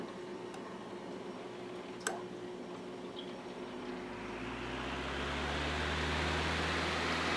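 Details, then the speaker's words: Emerson 79646AP-G Government Issue table fan, restored, two bronze bushings, capacitor start, on low speed from the side: low steady motor hum building into an even rush of air, no ticks or rattles; blades super smooth, healthy fan. "As with the majority of the Emersons, the blades are super smooth."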